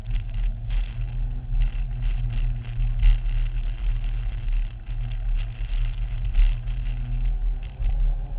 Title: Promotive R1 Mini Engine problem - Any ideas what it could be?